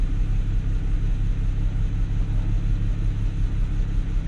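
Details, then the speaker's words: BMW 335i E92 N54 rough, lumpy idle pulsing about three times a second with beats dropping out. Scanner shows a cylinder six misfire, later moving to cylinder two after swapping; a bad ignition coil is the cause. "there we go running up there lumpy now in cylinder six saying it's not now a present code"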